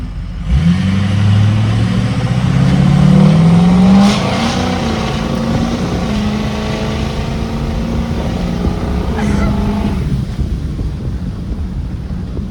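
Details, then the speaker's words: Ford F350 6.0 Powerstroke with Smeding non-VGT drop-in turbo, full-throttle 0–60 pull from standstill in a hayfield: revs climb steadily, light turbo whistle only at the top end; turbo healthy. "But it whistles more in the high end than it used to, because this turbo doesn't, you can't hear it until you get into the high RPMs."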